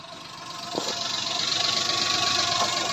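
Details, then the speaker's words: 2003/04 Daewoo Matiz (Chevrolet Spark) after a muffler tape repair, idling with the microphone underneath: steady even idle, soft exhaust note, no puffing or hissing leak; significantly quieter than before the repair. "and then underneath as you can tell it is significantly quieter than it was before the repair"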